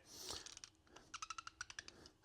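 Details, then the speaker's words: Aftermarket upper door hinge pin with circlip detents, cheap junk metal, on an OBS Ford pickup: sharp, high chirps each time the door swings, a dry poor-quality pin squeaking in its bushing; hinge is tight with no slop. "that's because these metals that they use are junk. So, these are your cheapest pins you could probably buy."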